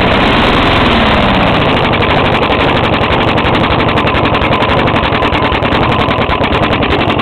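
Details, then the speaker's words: Five-year-old 4hp Briggs single-cylinder running hard: fast rough rapping on every beat; owner suspects rod knock since it is hard to pull, unconfirmed; intake tube at carburetor has a hole leaking gas. "think this got a rod knock actually cuz see it's really hard to pull it right now"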